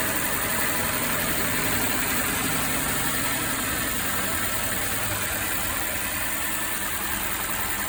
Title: Mercedes engine misfiring